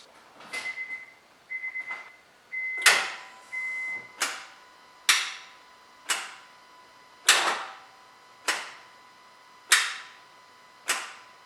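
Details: 2009 Honda Accord 4-cylinder with no start and no crank; the battery reads a healthy voltage. After the chime there are only sharp single clicks about once a second with no cranking, caused by a failed starter motor.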